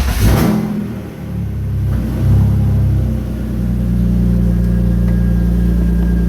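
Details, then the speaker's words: BMW E46 330 drift car, M54B30 inline-six, after rerouting at the MAF, checking earlier misfire, before tune: engine catches, blips, settles to steady even drone without stumble; misfire solved, normal running. "Well, I do believe that the misfire has been solved."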